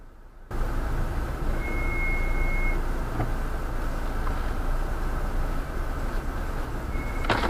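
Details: Mahindra XUV700 AX7L, 2.2L mHawk diesel, automatic, on a dashcam recording; a thin high squeal rises as it brakes to a full stop, starting after the front pads were replaced at the 20,000 km service; pad squeal suspected.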